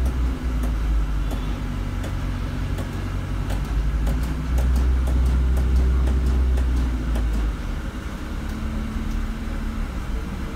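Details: Stagecoach London bus 12144 on Grosvenor Park Road: deep, rough, irregular low-pitched chugging throb pulsing under the engine note over road noise; the cause is unknown to the uploader.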